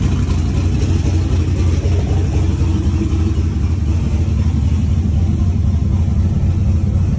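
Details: Ford Coyote V8 in a turbocharged car, after swapped wiring pins, firing on eight cylinders: deep, even rumble holding a smooth, steady beat with no stumble or skip; normal running.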